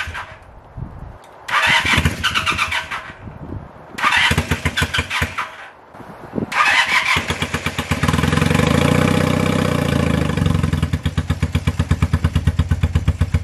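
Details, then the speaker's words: 1978 Honda CB250 twin after valve clearance adjustment, three of six valves way off: several cranking bursts before catching, then low uneven idle that stumbles and pops; responds to choke, sputters on throttle. "so the bike now starts and it idles pretty good a little bit low but it's easy to adjust it responds good to the choke but it is not like to rev as you could hear in the video whenever I tried to give it a little bit of throttle it just sputtered and it wasn't"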